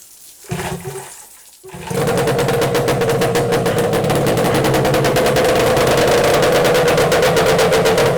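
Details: Yamaha 8C outboard imported from Japan, freshly unpacked, run with lower unit removed and hose supplying water; after a couple of pulls it catches into a fast, even, steady buzzing beat, running smoothly while cooling telltale starts; normal running.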